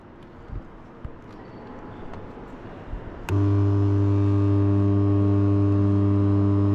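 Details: Three-phase induction motor, spark-method terminal test: two lower terminals joined, phase on yellow and neutral on blue lead. Quiet, then sudden steady low mains hum when energized, no crackle or sparking, showing the joined terminals are like ends; normal mains hum.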